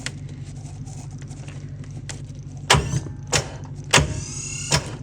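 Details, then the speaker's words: 2008 Ford F350 6.4 Power Stroke diesel, 6-speed manual, sitting several days in the cold: crank attempt gives a low hum and heavy clunks but the engine never rotates, sounding locked up; possibly seized. "locked up is it sounds like it doesn't that does sound locked up"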